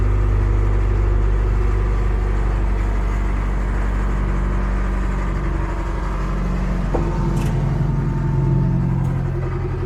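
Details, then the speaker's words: Cat 215 excavator after brake seal replacement. Slow, uneven starter churning; the engine turns over without catching. Cranks but won't start because it is very low on fuel. "Okay, I know what the problem is. I need to fill it up. It's just really low on fluid on fuel, so let me fill it up and then we'll crank it."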